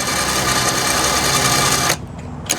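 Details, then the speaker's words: 5000 lb Badlands winch made portable, first test powered from a not fully charged jump pack via the switch: strong, even motor whine for about two seconds, then a clean stop, no smoke; winch motor healthy. "All right, no smoke, that's a good thing."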